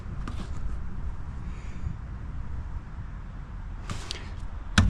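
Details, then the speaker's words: Ford F-150 8.8 rear axle after thrust washer replacement and refill with 75W-140 full synthetic, fixing vibration: even low rumble while driving, no whine, howl or clunk; rear differential sounds quiet and healthy. "Sounds good. Sounds quiet."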